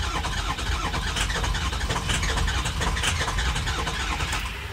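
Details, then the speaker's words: Ford 6.0 diesel truck with shot lifter, reassembled: steady starter cranking, base engine oil pressure present but engine turns over evenly and won't fire; crank no-start. "so we got the truck back together let's see if we got base engine oil pressure here we do but it doesn't want to"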